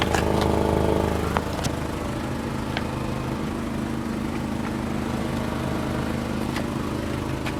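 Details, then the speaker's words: 2007 Volkswagen City Golf at idle: loud rough blatting drone from rear, about three pulses a second, despite tune-up; hole in exhaust suspected, probably leaking, not confirmed. "Man, this thing's a little loud. You got a tune-up as well? Hey, Patrick? Yeah. Then why is it so loud then? I don't get it. Yeah, I know. Yeah, I know. Your exhaust is bad. I mean, there's a hole in there. It's probably leaking."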